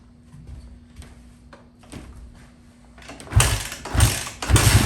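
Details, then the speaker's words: Fuel-injected Kawasaki KX250F four-stroke after fuel pump filter replacement fixed lean bogging and backfiring: quiet ticking idle, then three sharp throttle blips that pick up cleanly without bogging; normal running. "simple fix. The bike runs absolutely great. Throttle response is perfect."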